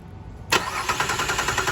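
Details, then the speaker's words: Cadillac SRX that won't start, starter relay bypassed with a relay bypass tool: strong even cranking at about six beats a second, no clicking or grinding; starter turns engine fine, fault lies with the relay. "so that tells me that it is something wrong with this relay and not the starter and not the starter because the starter clearly crunk up meaning no starter clearly turns over the engine"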